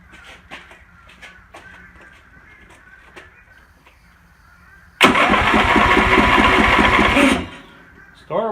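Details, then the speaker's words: Husqvarna Rider 970 mower with a Briggs & Stratton 15.5 HP engine, after replacing the stripped starter gear and the 22-year-old flywheel ring gear: short clean crank straight into a steady run, no grinding or clashing from the starter gear. Starts and runs normally. "works good. there you go, guys. New ring gear, new gear on the starter. Starts good,"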